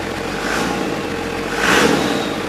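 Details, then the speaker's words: Cummins diesel swapped into a 1942 Chevy truck, first runs on temporary wiring, no radiator connected: settles into a steady even idle, revs cleanly on a short blip and drops back, sounding healthy. "Yes, that's a success."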